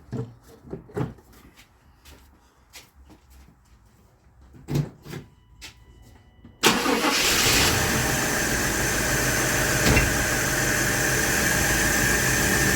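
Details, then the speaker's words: 1997 GMC Yukon 5.7 L, after ignition timing was reset: a few clicks and clatters, then catches and holds a steady idle only on supplemental sprayed fuel; fuel delivery is lacking, injectors suspected. "So something is absent. I mean, obviously, well, it's fuel now."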